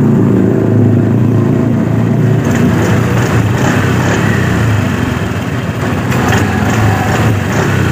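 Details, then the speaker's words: Honda Scoopy 2018 scooter after replacing worn CVT clutch shoes that had metal-on-metal contact: even engine drone when throttled, no clatter or rattle from the CVT; normal running. "jadi Baiklah proses pemasangan kampas ganda sudah selesai jadi ini sudah posisi normal tidak ada suara lagi"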